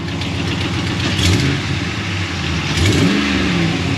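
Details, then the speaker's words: 2016 Dodge Ram 1500, 5.3-liter gasoline Hemi V8, 52,944 miles: revs twice over a rough idle with a raspy, puffing exhaust manifold leak from rusted, broken-off exhaust bolts. The customer's own diagnosis appears accurate. "yeah that's definitely leaking where's my hood latch there it is it's red so you know it's good yeah i hear manifolds leaking over here"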